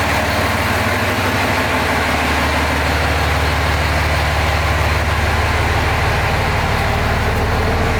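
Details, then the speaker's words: 2005 common-rail Cummins diesel in a 2008 Ford F-350 dually, warming up (reading 93 degrees, for hot retorque): loud even idle clatter, no misses, ticks, exhaust puffing or exhaust leaks; idling smoothly. "I don't hear any exhaust leaks. Only 93 degrees. So far, so good."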